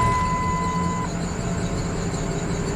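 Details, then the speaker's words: 1999 Dodge Ram, parked six years, idling on a new battery with a steady thin squeal from the accessory belt drive; likely a pulley rather than the belt. It also tends to die off throttle, and the check engine light is on. "you can hear that belt squeaking or it's it's really a pulley not the belt"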